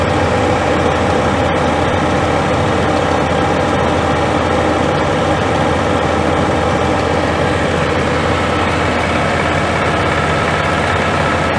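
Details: Scania G410 with 13L OC13 methane gas engine, about 400,000 km, after rebuild for overheating without antifreeze (cracked heads): even, quiet low idle rumble, no knocks or misses, fan noise on top; normal idle.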